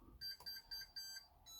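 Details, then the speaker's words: Tronxy 3D printer with Chitu V6 motherboard on Tronxy firmware powering on: five short high beeps then a longer tone; normal startup beep sequence. "You can hear by the familiar beeps."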